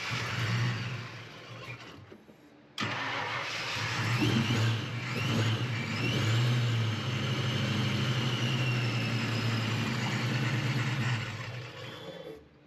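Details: Car after weeks chasing an electrical no-crank fault, battery 12.2 V, fuel pump priming: short crank, then catches cleanly, flares and settles into a steady even idle with no misses; fixed, healthy start.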